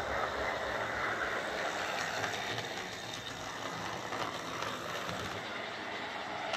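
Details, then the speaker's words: Old Tri-ang R52 Jinty 0-6-0 tank model locomotive on layout after repair (motor insulating sleeve replaced, cleaned and oiled; previously dead): light steady whir with soft regular rail clicks; running smoothly. "so there we are that's darren's old triangenti uh running exceptionally well for his age i have to say"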